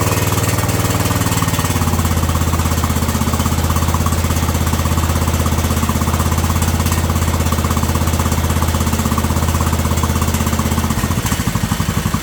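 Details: Yard Man riding mower with Briggs & Stratton Intek 18.5 HP single-cylinder, just serviced (new carburetor, fuel and air filters, spark plug, oil, valves adjusted): steady, even deep thump with no hunting or surging; normal running.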